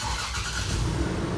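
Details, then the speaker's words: Toyota 4Runner after its clicking, no-crank starter was inspected and refitted: engine catches on the first crank and settles into a steady low rumble with no grinding or clicking; starter problem solved. "Le travail est terminé. Le problème est résolu."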